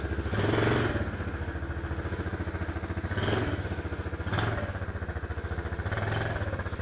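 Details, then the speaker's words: Chinese ATV being ridden in reverse: the small engine pulses steadily and swells with throttle with no clicking; the clicking fault occurs only going forward, and a transmission cause is suspected. "Sounds perfectly fine. Let's reverse it."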